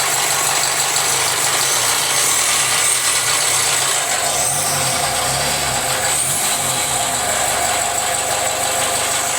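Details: Jaguar F-Pace 204DTD diesel, self-rebuilt with used polished crank, engine mount just connected: noisy idle with loose irregular rattling clatter over hiss; rough, owner unsure if normal, suspects exhaust blowing or needs warming up.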